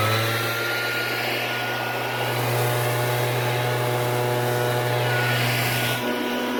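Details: Shindaiwa backpack blower, two-cycle engine, after repair of no-start: strong, even high-pitched roar holding steady speed with no surging or misfire; running normally.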